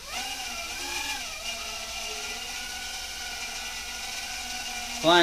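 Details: Repaired quadcopter in a test hover: an even, high buzzing whine that shifts pitch smoothly as the throttle trims, with no rattle or stutter. The hover is healthy, though an unclear sound is heard that might be a motor bearing.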